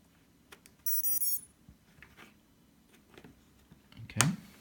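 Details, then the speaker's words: Quadcopter Racestar ESCs with motors connected, flight controller powered via PDB 5V, signal and ground wired; connecting battery power gives a short run of high chirping power-up jingle tones, then quiet; motors still won't spin; beeps' meaning unclear to owner. "So if I now connect the power, you'll hear the ESCs or motors do their jingle, or do a jingle anyways."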